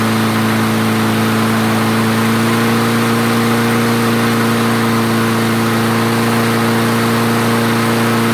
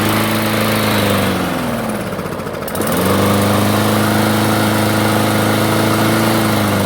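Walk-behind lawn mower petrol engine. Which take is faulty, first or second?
second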